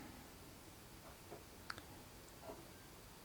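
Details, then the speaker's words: Xbox One S Blu-ray drive that accepts discs but won't read them: a few faint clicks, then nothing, with no spin-up whirr; the drive tries to read but never spins the disc. "can't sounds like it's trying to read the disc but it's not actually spinning the disc up and then nothing at all so normally you get the whirr of the disc spinning but I'm hearing nothing at all"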